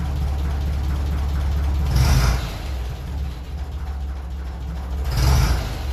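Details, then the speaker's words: 1957 Ferguson 35 TVO tractor just after a cold start: low chugging idle that rises and falls every few seconds instead of holding steady; possibly a touch lean, or just not yet warm. "so it's running a little bit lean I would say unless it just supposed to warm"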